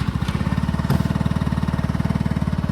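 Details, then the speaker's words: New, never-ridden Icebear Trifecta 150cc scooter with GY6 150 carbureted engine, idling around 2,000: quick even single-cylinder putter with one brief stumble early on; slight hitch in the idle. "be idling right at 2,000. It does have now the carburetor. A little hitch."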